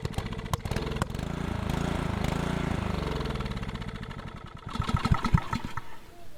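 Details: Old Honda GC160 engine on a Troy-Bilt Horse tiller catches, runs a few seconds, then goes ragged and dies; intermittent cutting out. Owner plans new coil and spark plug, suspects fuel pump can't keep up.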